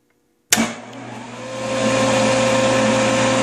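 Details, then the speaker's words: Benchtop belt-drive table saw with a dado blade, driven by a Baldor VFD suspected of failing but now working, spins up and runs unloaded: clean, steady hum and whine; normal no-load run. "all right so we're powering on 4.9 amps just running that dado"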